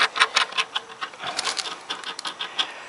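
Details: 1995 Harley Sportster with strange clutch noise, fresh oil: irregular dry clicks and gritty ticks as bearing is turned by hand; outer clutch release bearing rough, needs replacing.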